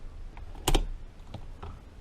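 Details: Rebuilt 1953 Harley-Davidson Panhead four-speed transmission, shifted by hand on the bench with the lid on: one crisp clack as the gear drops in, then light ticks with no grinding; normal gear engagement.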